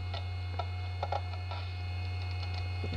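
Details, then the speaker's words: SyQuest SparQ cartridge drive on insertion: steady motor hum under scattered irregular light ticks as heads seek, noticeable vibration; drive spinning up and working normally. "that's encouraging I'm hearing hard drive sounds yeah it was definitely making sounds like a real hard drive"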